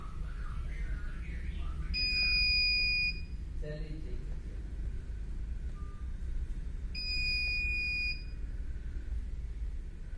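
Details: CP Plus DVR (KVMS Pro app): shrill steady beep about a second long, repeating roughly every five seconds over quiet room hum; the recorder's alarm buzzer sounding, to be switched off in KVMS Pro.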